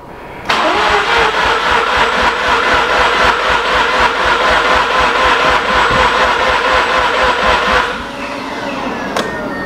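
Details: Mazda RX-8 13B rotary with damaged engine, after cleaning injectors and fitting a replacement fuel pump: steady fast cranking about four beats a second for eight seconds, never catches; pump not delivering fuel pressure, pin wiring suspected.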